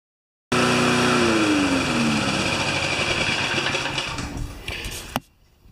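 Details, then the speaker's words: Frankenmotor single-cylinder lawnmower engine with aluminum flywheel, mounted on frame with 20 inch blade as flywheel weight, max rpm turned down slightly: even, steady beat, revs fall away, cuts off cleanly; runs like a top. "and as soon as we got it onto a frame with a blade a properly sized blade 20 inch blade it just around like a top"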